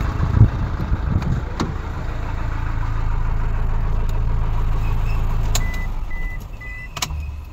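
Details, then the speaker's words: 2013 Toyota Hilux 1KD diesel, 171 hp, after a new original number 4 injector was fitted: it cranks and catches quickly into an even low idle with no misfire or knock. Normal running before warm-up; later, once warm, an injector 3 fault appeared. "quando eu desligo ligo o carro mas os primeiros 20 minutos meia hora que funcionou tava normal"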